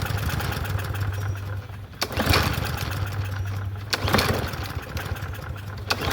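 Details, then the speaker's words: Troy-Bilt TB110 push mower (free Marketplace find, seller said it wouldn't run; auto choke): pull-start bursts every two seconds, engine coughs and nearly catches but never runs. Hard starting; owner suspects carburetor needs cleaning. "Okay. Okay. So, maybe need a carburetor clean, but it was still not pulling over. So, we did have to clean it."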